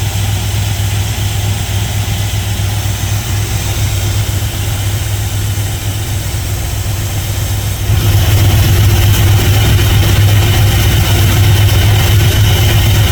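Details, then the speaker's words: 1977 GMC Sierra Grande, small-block Chevy 350 V8, after valve and roller rocker adjustment: even, steady idle with a regular low rumble and no ticking or misses, rising slightly near the end. Idle is normal and the valvetrain sounds healthy. "Idle's perfectly good. I'm going to put a tack on it and see what uh RPMs we're at, but I think we're right where we need to be."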